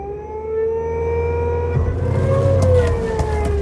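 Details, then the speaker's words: Nissan Primera P12 after bleeding the power steering: loud whine rising and dipping with revs and lock-to-lock steering, no better than before; pump only a few months old, needs a new power steering pump. "The bottom line is the car needs a new power steering pump, even though the one we got now is only a few months old."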